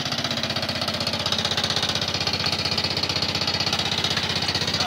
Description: A Briggs and Stratton 3.5 seventies era engine with a bad knock.